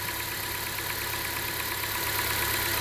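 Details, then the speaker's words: 2017 Honda Accord 2.4L with over 120K miles, after a new Gates serpentine belt replaced the 9-year-old one: a steady, even idle hum with no squeal, chirp or slap from the belt; smooth and quiet. "Nice and quiet."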